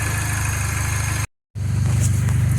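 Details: Mini Cooper S at idle after a new high pressure fuel pump fixed its crank-no-start; even steady low throb, regular firing, no misses or knocks; actual rail pressure close to target.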